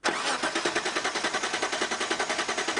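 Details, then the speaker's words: 1991 Mitsubishi Pajero that stalled and won't restart, fuel cap off: steady cranking at about nine pulses a second for three seconds, never catching. Constant spark and good compression; vapor lock suspected, fuel return line being checked. "oh we've got a bit of a stoppage here um the progero's stopped and won't start again feels like a vapor lock or something"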